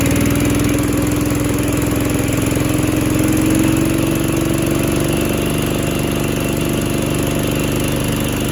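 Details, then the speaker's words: Little Wonder 13HP high-output blower after clearing the dinging jam between impeller and housing, fouled plug replaced, on half choke: loud, steady engine drone with a smooth fan whine, no rattle; normal running, carb still needs work. "well it's not making the noise all right it's not making the noise so it's fixed"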